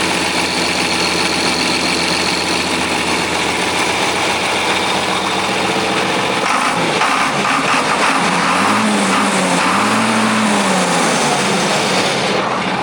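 Diesel settles into an even, steady idle with a light rhythmic clatter and a brief rev midway; sounds healthy.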